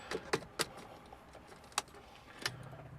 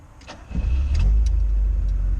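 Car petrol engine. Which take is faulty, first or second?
first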